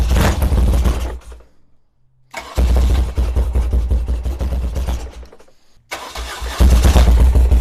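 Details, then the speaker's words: 1978 BMW R100S twin after sitting for years, on new plugs with the choke on, one carb looking dry of fuel: cranks, catches and stumbles with a lopsided beat. Likely running on one cylinder only. "Alright, I'm pretty sure that's only one cylinder on this side."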